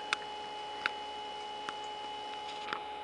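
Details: 9-watt circulation pump in a cold-climate direct solar hot water system with night recirculation, pumping over 1 gallon per minute at 2:30 pm, tank bottom 139, collector 50; faint steady hum with a few light clicks: running normally.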